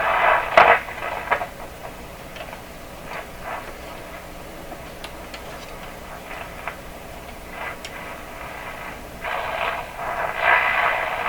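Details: 1929 Victor RE-45 radio at full voltage, heard through the speaker: irregular crackles, hiss bursts and pops over a quiet hum while testing a third #27 detector tube; the partial-discharge noise source, tubes or elsewhere, is not yet pinned down.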